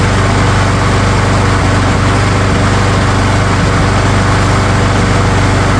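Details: Craftsman single-cylinder lawn mower engine that previously would not start: after a spring tune-up with new spark plug, new air filter, carb work and fresh oil, it starts after three primes and holds a steady, even drone with no misses, surging or knocks. Normal running.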